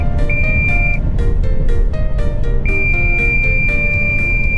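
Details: Long-haul cabbage truck diesel while driving: repeating electronic chime over diesel rumble, low coolant warning; driver suspects radiator low on water despite checking level before departure.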